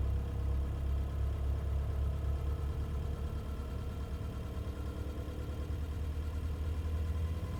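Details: Nissan Navara engine with an abnormal noise noticed between 750 and 2000 rpm: a low idle rumble with an uneven, loosely repeating beat about three times a second; cause not pinned down.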